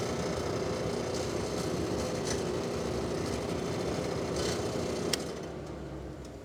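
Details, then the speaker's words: 3D-printed replacement impeller with larger, thicker redesigned central hub on an industrial dust collector blower: steady loud fan roar, constant hum, faint pulsing about four per second; owner says something is definitely wrong, about 74 on the meter; vibration, cause unconfirmed. "there's definitely something wrong with that but I'm going to go ahead and just test the CFM anyways so it was a little bit louder than last time up around the 74 Mark"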